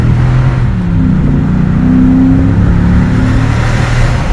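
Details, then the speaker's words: Ford F-250 Super Duty 6.2 V8, warmed up after about 20 miles, no check engine light after multiple cylinder misfire repair: deep rumble rising smoothly under light throttle, even with no miss or stumble; engine running healthy. "no es nada, no le ando pisando casi nada. Miren nomás, se oyen como bramo, mi raza."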